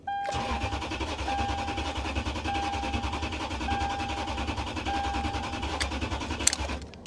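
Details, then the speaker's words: VW CC Sport, about 163,143 miles, cranks freely for about six seconds under a repeating warning chime but never fires; fuel pump not heard priming, cause suspected not confirmed. "I mean, I knew it wasn't going to run, guys. But it does crank. Try it one more time. I don't think I hear the fuel pump."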